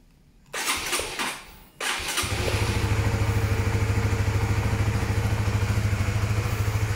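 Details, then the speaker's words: Honda Sonic used motorcycle, about 4–5 years old, about 36,000 km, checked before purchase: starter whirrs briefly, single settles into an even, smooth idle with no ticks or knocks; normal start and idle. "Oke, ini kalau teman-teman dengerin suaranya masih halus ya. Untuk kondisi motor second 4 tahun itu masih bagus ya."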